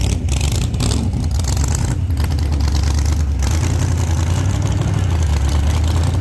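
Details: 1948 Chevy Fleetline small-block Chevy V8, 4-speed, test burnout after repair for pushrods breaking on first burnouts: deep steady roar holding strong at sustained high revs, no tapping or clatter; valvetrain sounds healthy, normal.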